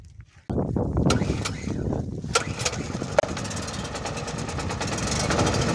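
Short silence, then the engine catches and settles into a steady, even drone with no misses; generator running normally.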